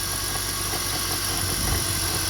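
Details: 2002 BMW 325i: steady low growl at idle from engine compartment with hissy top end, fading with revs or driving; pulleys checked with stethoscope, low power steering fluid topped with ATF without curing it; cause unknown.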